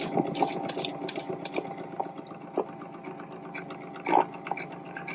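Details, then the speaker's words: 1947-1951 RCA cartridge wire recorder, motor started with the cartridge inserted; the motor shaft drives rubber tires. A busy mechanical whir with a steady mid-pitched hum and scattered rattles and clicks. The drive motor runs noisily, cause unclear. "turn the motor on makes a lot of Racket doesn't it"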